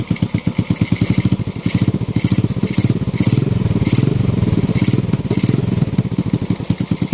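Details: Honda Wave 125 on its first start after a top overhaul (new cylinder head, piston and rings, rebored block), carburetor not yet tuned: one-click start, quick even single-cylinder pulses, slight speed rise and fall, only the carburetor noisy, no longer smoky. Normal running.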